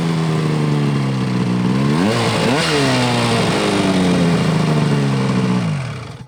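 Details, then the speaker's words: Polaris IQR 800 shorty two-stroke snowmobile on a trail ride: loud, crisp wail rises and falls through the trees, smooth and steady; sounds healthy, though it only turns 8,000 rpm and the owner wants 8,500 via a weight change. "You can hear this thing echoing through these trees. It sounds really good."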